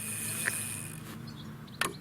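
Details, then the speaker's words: Controller relay on reanimated farm rover: two short sharp clicks over a quiet hum as the stick is pushed and released; the relay clicks on and off at start, normal operation. "it is extremely controllable very smooth and has a little sort of a you can hear the relay clicking on and off when it starts"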